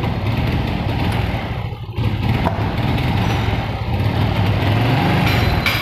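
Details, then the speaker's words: Honda Revo fuel-injected motorcycle, before repair: engine stutters and bogs when throttled, revs won't climb and sag instead; misfire traced to a faulty spark plug cap. "jadi ketika motornya hidup itu di gas ataupun rpm nya itu tidak mau naik teman-teman malah brebet ya teman-teman"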